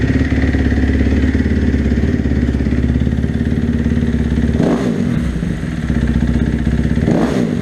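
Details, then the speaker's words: 2012 Kawasaki KX250F single-cylinder, cold start on choke after sitting several weeks; FMF slip-on exhaust, about 50 hours on the top end, slight oil smoke on the first throttle snap. Even firing with a couple of blips and no clatter; normal cold idle. "so that's this basically what it sounds like John I didn't really get on the piper nothing needs a warm-up but it runs good"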